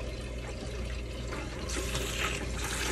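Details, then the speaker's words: Hydronic radiant floor heating loop, no temperature rise, being purged into a bucket while hot: splashing, sputtering water with irregular gurgles and spits as trapped air purges out. "so what i think we should do let's get a bucket and we're gonna have to try to purge okay next one a lot of air it's hot now now watch what happens"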